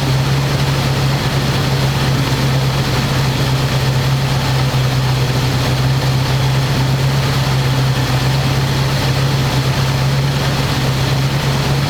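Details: 1985 square body truck, 454 big block V8, 4-speed, sitting 20 years, after refitting air cleaner and vacuum lines and adjusting idle screw that wasn't touching throttle: deep, steady low rumble at even speed, no stumbles or hunting. Normal smooth idle.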